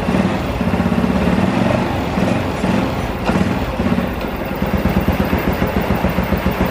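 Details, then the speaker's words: Honda Revo Absolut with new cam chain tensioner and new pulley, engine still loose after the work: even single-cylinder putter at idle with no rattle or ticking; a hole in the exhaust middle section. "Oke, kayak gitu ya suaranya. Mesinnya masih halus sekali, nggak ada suara kemercek atau apa-apa, nggak ada ya."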